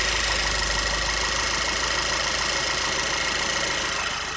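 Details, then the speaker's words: Steady airy hiss over uneven, hunting petrol idle of a VW CC with codes P2187, P2181 and P0507; vacuum leak through small hole in PCV valve under engine cover, plugging hole restores normal idle; diaphragm or PCV valve replacement suspected. "pull this cover off and you can hear a hissing sound and we've got this little hole on the PCV valve listen to"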